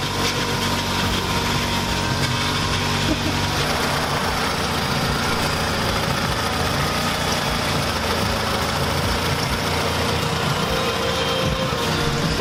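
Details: Scion tC with newly installed replacement engine, first start (threads on a rusted fitting chewed up on reinstall): catches and settles into a steady, even idle, no knocks or ticking under background noise; normal idle.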